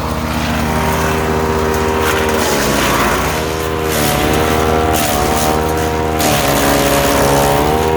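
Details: Ducar woodchipper engine at working speed. Steady, even drone with only small dips under load, engine running healthy.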